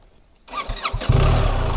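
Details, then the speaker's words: 2024 BMW R 1300 GS, restart test seven or eight times after BMW software update 125_011_030 for a no-start fault: short crank, engine catches within about half a second and settles into a firm steady idle; fault not reproduced. "okay looks like it's still got me H okay it's working the bike started that time"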